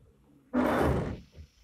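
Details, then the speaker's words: Rear wiper on wet glass: harsh rapid juddering rasp for one sweep, blade chattering because its mount meets the glass at an angle rather than parallel; wiper blade chatter. "когри бежите это даже смоченная поверхность все равно дребезжит [музыка] вот вот это дребезжание мы попробуем сейчас убрать"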